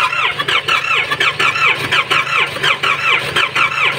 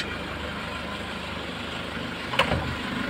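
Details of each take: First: Nissan Patrol ZD30 diesel with no compression, cranking: slow, even cranking about eighty a minute with a squeal, no catch. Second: Nissan Patrol ZD30 diesel with low compression, after an hour at normal temperature: steady, even idle with a low, smooth beat and one brief clack near the end; some blue smoke and a slightly noisy timing chain noted; normal idle.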